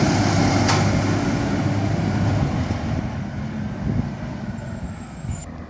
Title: Maitland FOGO | 2230 | Exhaust Leak